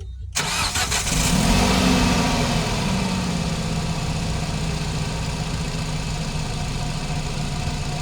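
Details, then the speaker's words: Nissan NV350 with QR25 engine after timing chain replacement (previously camshaft signal error, erratic idle): brief crank, quick catch, flare, then steady even idle without stumble; engine light off, running smooth. "the engine is running smooth no eratic iing as you can see it's running smooth there no warning light on the dashboard"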